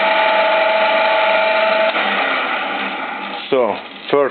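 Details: 1963 drill press, first run after more than 25 years unused, belt having been rusted into the pulleys: a smooth, even motor hum and whirr with no knocks, rattles or grinding, running forward and in reverse; the motor runs sound.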